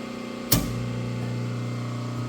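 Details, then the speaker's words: Stratasys Fortus 400mc 3D printer's transformer, powered from 3-phase via circuit breaker while fitting a new UPS backup battery: breaker clunk, then steady low mains hum with even overtones, felt vibrating; transformer energized and working normally. "the transformer is working. I can feel it humming. I can feel it vibrating and hear it humming."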